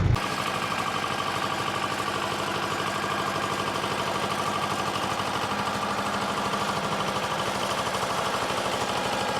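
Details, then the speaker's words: Mercedes C230 while driving: rhythmic thumping about three per second under road roar, rising with speed and absent below 20 mph; sounds like a bearing or wire banging in the tunnel; owner suspects center bearing or debris wrapped on driveshaft. "it's just kind of a strange sound i mean it kind of sounds like a bearing especially like right now but sometimes it just kind of sounds like there's a piece of wire router on my drive shaft banging on you know in the tunnel or something"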